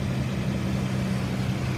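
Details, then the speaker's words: Engine idling: low, steady, even idle with no misses, ticks or knocks; normal idle. "so it does sound pretty good"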